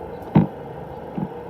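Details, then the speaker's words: Sprinkler system being drained for winter by cycling each zone and program from the controller, heard from the valve box over there: a sharp click, then a softer second click, as a zone solenoid valve opens normally. "So now if I click on, you might be able to hear the valve in the box over there."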